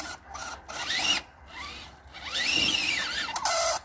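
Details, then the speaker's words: FTX/RGT Outback Fury RC crawler after an abusive mud day, axles greased: short bursts of raspy high-pitched gear whine rising and falling with throttle; weird-sounding noisy gearbox, still drives. "see what's up with my weird-sounding gearbox well she still works and she drives back to the car but that is not a happy sound"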